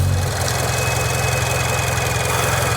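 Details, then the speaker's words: Toyota GR86/Subaru BRZ boxer idling for a few minutes right after its 1k-mile oil change with 0W-20 and a Fumoto valve, after priming the oil. A low, lumpy, tractor-like even burble is normal idle. "tractor noises. A lot of comments on Reddit, does my car sound normal? If it sounds like a tractor, then yes."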